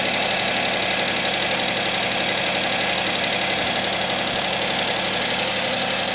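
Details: Suzuki Vitara engine at cold idle with a fast, even ticking knock about 230 a minute over the engine; cold-start knock, source unclear.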